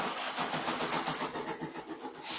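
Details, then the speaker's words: Baja bug cranked in neutral with no throttle after installing a new Pertronix electronic ignition. The starter churns in a rhythmic whir but the engine never catches: no ignition because the coil had no power supply. "I made a rookie mistake uh there was no power supply to the coil itself yeah obviously that needs power"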